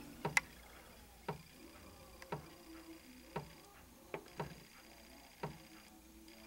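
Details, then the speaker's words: 1989 Brother ZX-30 plastic electric typewriter powers on but does nothing, giving quiet irregular ticks; owner suspects the small motor under the cartridge overheated and stalls on keypress; never worked properly, cause unknown. "a little motor just dying off inside here under the cartridge i've done everything i could do but something is seriously wrong inside here"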